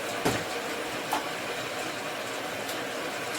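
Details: 2008 Suzuki GSX-R 750 K8 with Arrow slip-on, after a weird idle was fixed by plugging a hose: idle quiet and steady, no rev hunting, occasional light click; healthy idle.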